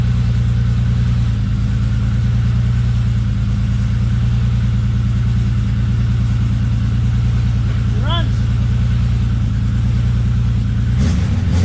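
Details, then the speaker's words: BMW E30 325is revived after sitting years in the woods, fuel pump powered by a jumper from another fuse: deep, steady drone with an even beat and no knocks or stumbles; normal running, no power yet at the fuel pump wire. "I jumped it off of another fuse and it fired right up."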